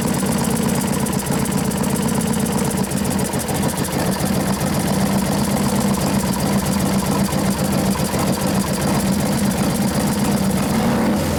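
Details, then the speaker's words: 1993 Harley FXR Evo 89ci #103 stroker, new build being started for the first time: steady low loping idle with an even beat, no stumbles or misses; sounds good, normal idle; faulty starter relay suspected; oil in tank slightly foamy. "sounds pretty damn good T"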